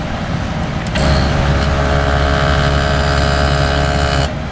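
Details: Smart Fortwo HVAC blower fan motor just after a brush replacement: loud steady whir with a fixed humming tone and slight roughness; noisy fan, which the owner thinks may need to wear in. Cause not confirmed.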